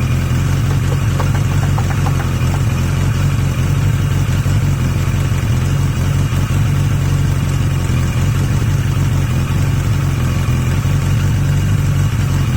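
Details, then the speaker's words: Yamaha XJ750 "Mack" left idling for a few minutes after a carb swap using the XJ650's carbs; a smooth, even idle with a steady low rumble and no misses or stumbles, all four firing cleanly; owner suspects some air-fuel issue. "I just want to let it run just want to let it idle for a few minutes"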